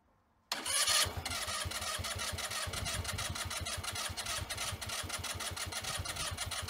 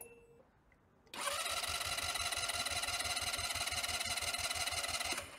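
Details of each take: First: Sym Jet 14 fuel-injected scooter on jump-start box, throttle cable off, trying to start at idle: long bursts of fast starter cranking, tries but never fires; owner suspects overheating ECU, unconfirmed. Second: Sym Jet 14 fuel-injected scooter with starting trouble and rpm fluctuation, battery charged to 13.2 V, compression test while cranking: even pulses about three per second; 9 bar, not great but within normal 8–12 bar range.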